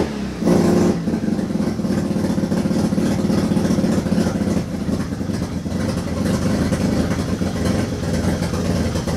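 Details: Turbo II FB RX7 rotary engine on its first real run, after leading/trailing coil checks; catches and runs unevenly, revs rising and falling with a ragged rasp, untuned, smoking out the garage. Rough running.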